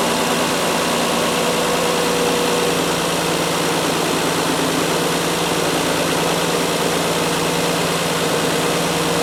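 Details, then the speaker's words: Mazda 626 engine, completely cold, after replacing the bad idler pulley, other pulley and both drive belts: steady, even idle with a smooth hum, no squeal or chatter, much quieter than before; belt drive healthy. "right away I think you can hear that is a world of a difference much quieter than it was last time and just to show you this stuff running there's the there's the a power steering pump again there's the new Idol of PO e running very smoothly and very quiet"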